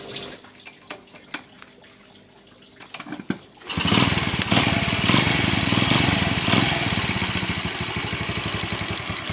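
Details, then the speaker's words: Yamaha Jupiter Z farm bike, ignition loss traced to a faulty pulser, with a new coil fitted. After the repair it starts after a few clicks into a quick, even, responsive single-cylinder beat; the engine is coarse but normal. "sawahudah bisa hidup normal ya dan juga responsif Mantap ya untuk motor sawah kayak gini untuk mesinnya ya kasar Ya wajarlah ya kita matikan dulu ya mesinnya"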